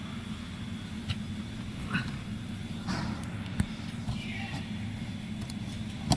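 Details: Inside a moving car, sharp irregular clicks and rattles from the ceiling over steady road rumble; owner wonders whether a patch will fix the ceiling rattle.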